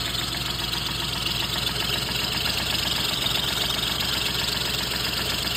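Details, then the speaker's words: Car idling with lean oxygen-sensor code and smoke from exhaust; fast ticking clatter about four per second over idle; helper suspects cam components, earlier suspected rod knock seems gone; ticking noise at idle, cause unconfirmed. "You know what? It almost sounds like your cam things are making noise."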